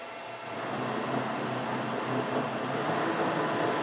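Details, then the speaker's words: Land Rover LT230 transfer box, 1.2 ratio, labelled noisy and needing a rebuild. It runs on the bench freshly filled with oil but oddly not getting warm. Spun up fast, a thin, steady high-pitched gear whine sits above the spinning rush; the cause is not yet known. "if I spin it up fast take off you can hear it's a bit whiny"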